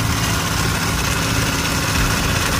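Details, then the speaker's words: Car AC not getting cold: engine running with a loud, constant rattle low at the front, owner suspects the AC compressor, plus a possible leak sound; unconfirmed. "plus the ac compressor is making a loud noise so i may just have to get an air compressor"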